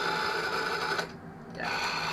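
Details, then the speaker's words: Old rotary-dial telephone with no line cord, suspect photocopied dial label and parts rattling inside: fast whirring buzz from the dial gear train, short pause, spins again while winding; dial clutch not disengaging, driving the whole mechanism. "doesn't run bad, but the clutch thing in the dial isn't working because I can hear that's making all the mechanism run that way, and it shouldn't be."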